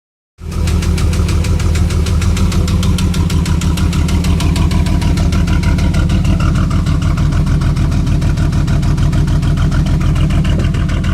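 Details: Firebird 3.8 V6 idling with a steady, sharp, even rod knock under the deep rumble; engine also smoking.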